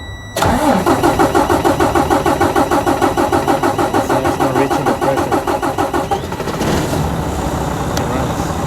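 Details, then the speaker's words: Freightliner Cascadia diesel cranking with low-side fuel pressure 12 PSI and rail pressure in the 50s–60s: steady starter rhythm about three turns a second, never catches; cranks, no start. Suspected weak high-pressure pump, since it runs then won't restart hot; rail sensor and check valve still to check. "So, I think this high pressure pump is going bad. It's getting weak cuz it will run for a little bit and as soon as it gets hot, it will not start anymore."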